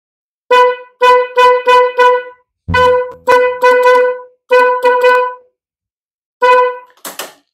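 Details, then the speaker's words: Honda ADV 150/160 paired snail horns, low and high tone: repeated short honks on one single clear tone without the fuller chord, as only one horn sounds; a broken wire or faulty horn is suspected. "jadi suaranya sebelah ini hidupnya teman-teman jadi Sudah bisa kita lihat ya"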